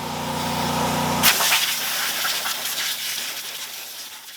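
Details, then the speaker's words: Old Ford diesel tractor that sat 10 years, injectors removed: starter churns the engine, then a sharp hiss and spray as fluid and oil blow out of an open injector hole, clearing a filled cylinder. "believe our plan is to pull the injectors out and crank it over and see if we can blow that oil out"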